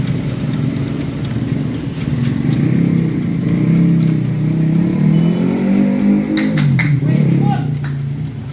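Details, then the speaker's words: Suzuki Address scooter that stalled when hot from compression loss, after fixing the leaking valve: single runs steadily and picks up cleanly on throttle with no stalling or missing; normal running. "Oke, motor sudah bisa hidup. Motor sudah normal ya. Jadi permasalahannya hanya di bagian klep yang bocor."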